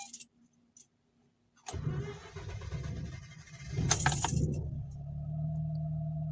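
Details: Mazda RX8 hot start after cleaning corroded battery terminals and ground connections and applying dielectric grease: keys jingle, brief strong crank catches cleanly within seconds and settles into a smooth steady idle; normal hot start, hot-start problem fixed.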